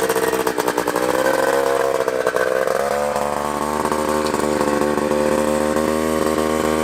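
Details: 1979 Honda Odyssey FL250 two-stroke after full rebuild with newly machined cylinder and DG expansion pipe, on choke: crisp, high-pitched buzz revving steady and clean with no misses, rattles or bogging; runs healthy.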